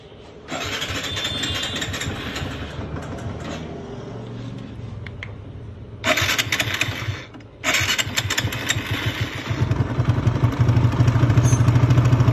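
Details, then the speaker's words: TVS Apache 160 single-cylinder motorcycle engine, before repair: fast light metallic tick over the exhaust beat at idle, sharper on light throttle blips; cause found to be an old, badly stretched cam chain, replaced with a new chain. "Chain साथी, मैले यो पुरानो chain came chain एकदम लामो भएर हजुरको अघि sound सुनिसक्नुभयो हजुरले, टिक टिक टिक टिकको साउन्ड आइरहेको थियो।"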